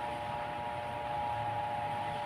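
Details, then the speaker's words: Stand fan after replacing worn, wobbly bushing, tested on speeds one and two: soft steady hum with one faint constant tone, no rattle or scraping; loud noise gone, runs smooth and quiet. "Wala na. Wala na yung ingay. Okay. Okay. Wala ng ingay."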